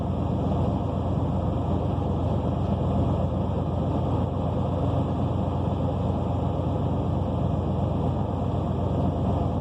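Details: 1992 Buick Roadmaster Limited with the 5.7L LT1 V8 and a 700R4 four-speed automatic (bad transmission), on a cold start. A deep, steady idle with a rough puffing chuff reveals an exhaust leak of unknown location.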